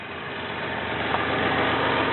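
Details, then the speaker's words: 1993 Toyota Camry, automatic, 206k miles, said to run smooth: steady, even idle with a soft smooth hum and no knocks or stumbles, quiet and healthy, revving slightly on the gas. "you can hear the engine he senses their quiet it arms up on the on the gas a little bit"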